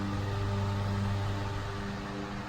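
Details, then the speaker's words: 1938 GE 12-inch oscillating fan, catalog 49X929, after restoration, switched to speed one (high): smooth, even low hum, steady motor tone, no ticking or scraping; blades well balanced, strong airflow, background vacuuming; normal. "let's turn it up to speed one high speed the amount of air this thing is kicking out is amazing and it sounds really nice"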